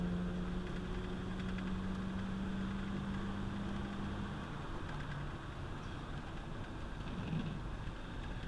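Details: One-owner 1992 Ford F250 XLT, 460 V8 automatic, 92,000 miles, accelerating hard: deep, even V8 rumble with a steady low drone, no knocks or misses under load; normal running.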